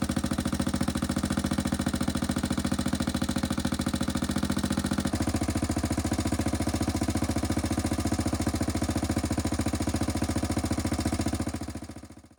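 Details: 1995 Suzuki LS650 Savage single-cylinder being built into a chopper, first start with custom straight pipe: loud, even thump about 214 beats a minute, steady until shut off; normal idle.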